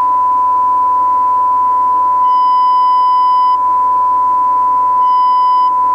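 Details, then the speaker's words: Cobra 21 LTD CB radio during alignment, test tone with modulation turned up toward 100%: tone turns harsh and buzzy, jumping from about 70% to 100%; overmodulation into a clipped square-wave response. "hear that that's the square wave I can tell without putting on the skull I'm getting the square wave audio response - sounds horrible just jumps from 70 to pretty much to a hundred"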